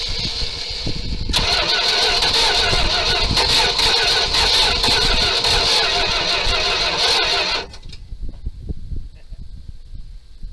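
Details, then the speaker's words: 1978 Dodge D200 crew cab, 318 V8, abandoned 17 years. Started on gas and ether, it catches roughly with sharp irregular pops and bangs through the exhaust, then dies. Owner unsure whether timing is off or carb work is needed. "Well, she's gonna run, but she's backfiring like crazy, so I don't know if the timing's off or we just need a bit of carb work."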